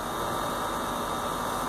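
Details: Heat pump outdoor condenser unit running in heating mode in cold weather: smooth, constant rush of fan air out the top over a low hum, no knocks or squeals; normal operation.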